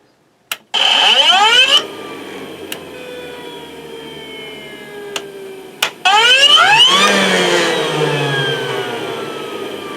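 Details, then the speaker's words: Rainbow vacuum model E2 Type 12, just after replacing the worn power switch: the motor whines up quickly to a high steady pitch, winds down when switched off, then restarts cleanly. The switch and motor now work normally. "Alright, let me plug it back in because that sounds much better than it did. Let's give this a test."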